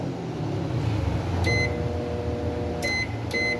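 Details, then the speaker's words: Mabe microwave humming low and steady with three short high beeps, running but not heating; ammeter confirms current reaches the magnetron, so the magnetron has failed. "O sea, si le llega corriente y no calienta, entonces el problema es magnetrón."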